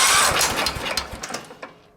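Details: Wheel Horse 315-8 garden tractor with a Kohler CH15S that will not shut off; magneto primary grounded yet still sparking: uneven firing pops that weaken and fade within about two seconds; engine keeps firing with ignition grounded.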